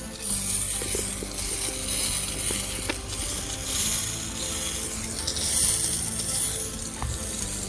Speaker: All the heads are good.